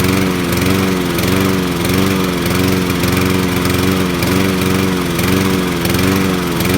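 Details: Sears Craftsman mower with a Honda engine, model 944.365452, misfiring: a steady engine with an uneven, lumpy stumble about every two-thirds of a second.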